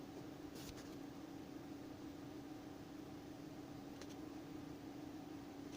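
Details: Anenji ANJ-4000-24V inverter, cover off: steady low hum with sharp, irregular crackles every couple of seconds, seemingly from near two small transformers; owner suspects grounding or faulty wiring, 25–27 V showing on PV input with panels off; cause unconfirmed.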